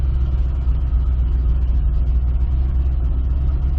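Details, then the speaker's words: 2005 Chevy Corvette V8 idling in gear, fine in reverse but rough in forward: lumpy, uneven pulsing idle with a missing beat; one cylinder dead. "okay reverse seems fine but if we put it in forward you guys can hear that this thing's running awful"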